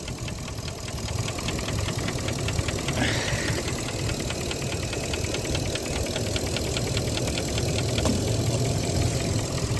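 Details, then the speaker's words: 2017 Ford F250 6.2L petrol V8 idling with a light, even tick about three times a second from the intake manifold runner control (IMRC); unplugging both blue IMRC connectors stops the tick, so the intake manifold needs replacing. "Both of them have vacuum lines that do something going into the intake manifold, but if you unplug both of them and the ticking stops, then you know that your intake manifold is bad."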